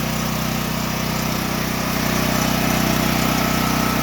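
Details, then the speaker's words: Gasoline generator converted to propane with a US Carburetion kit, fed from a 500-gallon in-ground tank: steady, even low putter with a constant hum and no misses, surges or knocks; idles well on propane, though starting is tricky. "the propane runs very well but it's a little tricky getting it started"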